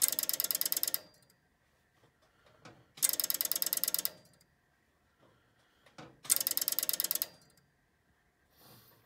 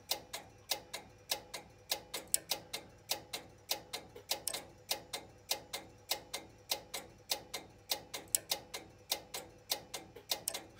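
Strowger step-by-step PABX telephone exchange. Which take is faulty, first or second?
second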